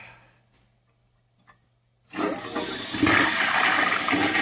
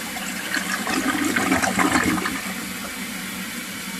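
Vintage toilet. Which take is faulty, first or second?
second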